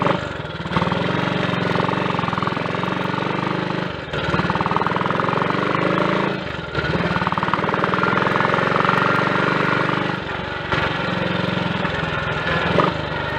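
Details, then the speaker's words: Triumph Tiger Cub single, frosty cold start after fitting new carburettor slide, needle, needle jet and main jet to lean a rich mixture; half choke, even fast choked idle with brief dips while warming up; normal warm-up. "Trying to get that half choke position, but it's difficult when you've got gloves on. There it is, right. We warm up like that for a little bit."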